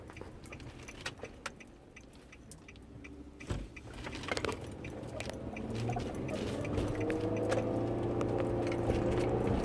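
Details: 2009 Nissan Murano, cabin at speed: ticks and creaks, then a thin squeak from the passenger front (dash or tire area). It eases on left curves, persisted after the bumper was tightened, and began a year ago; cause unknown.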